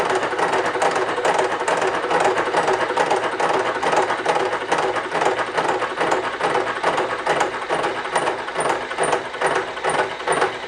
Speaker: All of that sound there and that vibration is the interrupted cut of going across all those welded points, which is a harder metal than the cast itself.